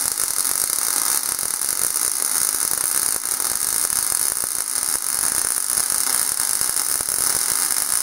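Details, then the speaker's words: MIG welding arc at the correct wire stick-out: an even, steady frying hiss with no pops or sputter. Holding the torch too close or too far would make it sputter. The result was a smooth bead with good fusion. "it's one of those things that you're gonna be able to hear it and you're just gonna say oh that sounds like it's running really smooth at that distance I am away and that's what you want to run it"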